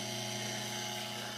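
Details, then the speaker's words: Fertilizer injection pump motor, run on the bench after fixing a loose connector: steady even hum with clean high whine, no knocks or rattles; runs smooth, owner doubts brushes or capacitor; gearbox key shaft later found worn. "That sounds good, runs smooth. So unless the brushes are bad, or I don't think it would even run if a capacitor was bad."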